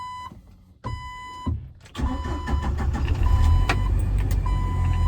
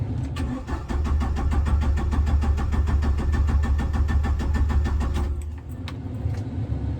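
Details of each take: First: 1997 Jeep Wrangler TJ SE, 2.5L four-cylinder, manual, about 204,300 miles, after installing a remanufactured PCM and reconnecting an unplugged sensor: chime beeps, a short crank, then it catches cleanly and runs steadily. Normal start. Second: 1997 Jeep Wrangler TJ 2.5L four-cylinder, manual, ~204,300 miles, after remanufactured PCM install: steady five-second cranking that never catches; cranks, no start.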